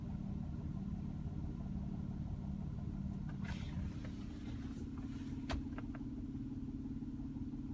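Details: 2004 Nissan Murano V6 idling: steady low rumble with a faint, uneven engine knock.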